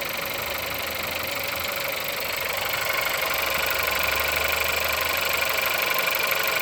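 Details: Engine at 176,000 mileage, cold start: steady metallic knock about twice a second riding over a bright, noisy run; engine knocking, cause unclear.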